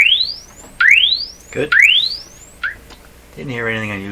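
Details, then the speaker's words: RCA Victor 67V1 console radio audio amplifier, before replacing its paper audio capacitors: signal-generator tone sweeps low to high about once a second through an uncased speaker with a small tear; clean, no buzz or rattle, working fine. "so here we go that's pretty low pretty good i think it's working just fine"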